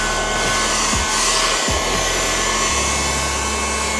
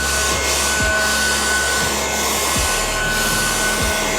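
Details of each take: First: A Ryobi USB Lithium FVH67K desktop vacuum on a 2Ah battery whines as it picks up debris, then its motor pitch shifts to a strained, altered tone; the dust cup is full and the filter choked. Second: Ryobi USB Lithium FVH67K desktop vacuum on a 2Ah battery picking up spilled debris; even, steady motor whir with soft scratching as debris is sucked up; it runs smoothly and normally, before the bin fills.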